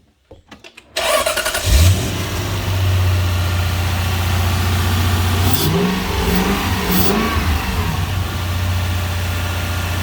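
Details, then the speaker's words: Lexus LS400 (Celsior) 1UZ-FE VVTi V8 from dead cold, after VVTi repairs and a leak fixed with a plastic fitting: starter cranks briefly, fires, flares up, then drops to a smooth, steady idle without misses or knocks; much better. "I'll show you what it sounds like when we start it from dead cold this morning."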